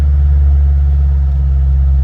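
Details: 2007 Ford Mustang Shelby GT V8 at 5,228 miles, production number 1208: deep, steady burble at idle, even and smooth with no misses, knocks or ticks; a healthy idle.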